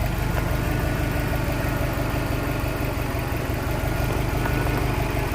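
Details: 2003 Subaru WRX Impreza just after fitting a new belt, alternator and aftermarket voltage regulator; smooth even low idle, steady rumble, no knocks, squeals or belt chirp; charging normally at 14.2 volts.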